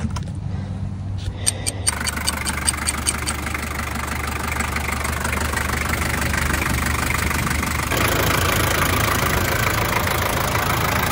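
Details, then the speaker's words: 1984 Land Cruiser with Toyota 3B diesel, cold start after Sea Foam added to the engine oil: usual diesel clatter with a light, fairly regular valve tapping on top, judged slightly decreased after treatment. "So a bit hard to tell, but if you listen closely, you can actually hear that the valve tapping noise is actually decreased in the after videos."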